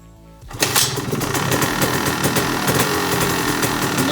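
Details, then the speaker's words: 2002 Honda CR250R two-stroke dirt bike, first start after sitting over winter, in neutral with clutch in: fires almost instantly and settles into a crisp, even, rapid crackle with no misses; normal cold start and idle. "we go. Starts right up. Good. Good method to always start your dirt bike after it's been sitting over the winter."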